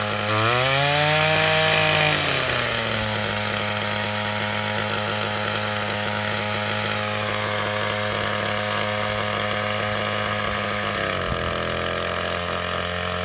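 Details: Old, worn Echo SRM-225 trimmer with replacement eBay carburetor, run without air filter, owner suspects low compression: two-stroke revs up, then settles into a steady even high buzz; engine running properly.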